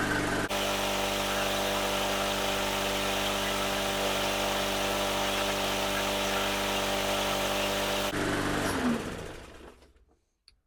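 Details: Briggs & Stratton 300E 125cc on a Hyper Tough mower that started then stalled, after carb and fuel system cleaning: smooth, even buzz for about eight seconds with no surging or misses, then winds down; healthy.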